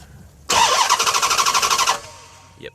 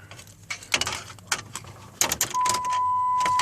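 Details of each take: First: 2007 Dodge Charger Pursuit V8 Hemi: starter spins fast and even, about ten pulses a second, never fires. Intermittent no-start; starter, key and fuel pump priming seem fine; police key cutoff system suspected. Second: 2007 Dodge Charger Pursuit with Hemi V8 that won't start: after a rattle of keys, a steady thin whine at key-on for several seconds as the fuel pump primes normally; starter, key and pump ruled out.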